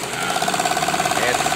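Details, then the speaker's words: Janome sewing machine, previously seized and rusted from long disuse, after servicing, running zigzag stitch: fast even ticking about fourteen stitches a second over a light steady whir; runs smoothly and freely. "Nah, dia udah siksa jalannya. Oh iya, siksak jalannya ya."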